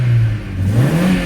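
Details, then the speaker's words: Opel Astra H after refitting its original ignition coil in place of a faulty replacement: engine revs up cleanly with a smooth rising note, no stumble or popping; misfire gone, though the check engine light is still on. "Машина газується, троїння немає."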